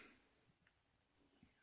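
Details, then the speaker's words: Sega CD Model 1 with a Sony CD-ROM drive after a laser limiter switch repair, powered on: a few soft clicks and a brief rising whir as the laser seeks, a normal drive startup. "so this is in my opinion what a properly and Sega CD model 1 should sound like with the Sony cd-rom drive so if you have a JVC version it's gonna sound different"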